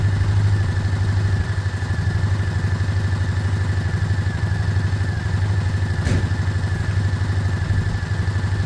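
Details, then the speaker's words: Single-cylinder 125 motorcycle (Lexmoto Michigan or Herald Classic 125), said to be practically done, warming up to circulate oil. An even, steady putter at idle with no knocks, misses or rattles. It is a normal idle. "it sounds good it sounds good I'm going to start wrapping up around it warming up"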